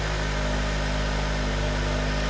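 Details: Honda Accord (2007/2008), about 180,000 miles, towed in for stall/no start, briefly started after diagnosis with lab scope on cam/crank: catches and settles into a smooth, even idle, no knock or misfire; running normally.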